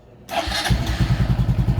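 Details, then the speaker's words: Motorcycle with newly installed power-up lines and serviced brakes; battery reads 12.7–12.8 V before cranking and dips to 11.9 V; brisk, strong cranking at about eight even pulses a second with no dragging. Normal cranking. "So buksan natin. Oh, yan. 12.7, start natin, tignan natin yung cranking. 12.8."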